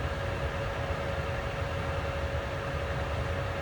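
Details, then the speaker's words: ICP Comfortmaker gas furnace after variable-speed blower motor replacement (no-cooling call, indoor fan dead), jumpered R to G: steady air rush with constant mid-pitched hum at 50% continuous fan speed; no rubbing or rattles, running smoothly. "that's 50% and that's all you get from just orangey jump together so that's a continuous fan speed mode"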